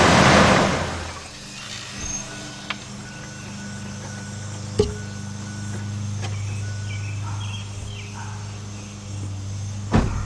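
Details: 1998 Ford F-150 4.6 Triton V8 that would not crank despite a new battery, after a connection fix clamped with vise grips: quick catch and brief rev, then a settled low hum with no stumbles; starts and idles normally.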